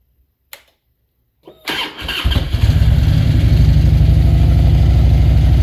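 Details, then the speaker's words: 2000 Harley-Davidson Road King V-twin with aftermarket exhaust and no programmer, after fitting fresh NGK iridium plugs. It starts and idles with an even loping beat and no stumbles; the misfire is cleared, though it smells rich. "oh man that sounds a lot better than it did [Music] so well man there you have it guys that definitely cleaned up the uh the misfire we had"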